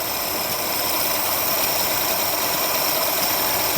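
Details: Ceria/Kancil carburettor engine after its idle and primary jets were cleaned: steady, even, hissy intake roar with strong suction, idling smoothly with no misses or stumbles.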